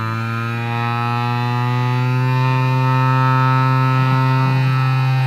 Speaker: we have a perfectly working pulse with modulation controlled variable speed massager now